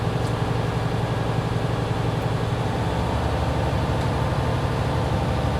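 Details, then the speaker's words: Diesel truck held at raised fast idle under 1500 rpm during pre-trip air brake test to build air pressure faster; steady deep drone at even speed with no knocks or misses; normal fast idle. "Me, I'm revving it just to save some time. If you're going to rev it, do not over rev it 1500 RPMs. Keep it under 1500."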